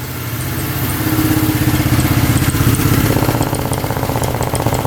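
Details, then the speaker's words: 1971 Honda CL350 that hadn't run in 25 years, now running after its points were cleaned. It idles at about 1500 rpm, slightly lean, on both cylinders, with a steady lumpy beat and light irregular pops from the pipes; owner thinks it's carbon buildup. "There's that little popping from the pipes. I think that might be carbon buildup."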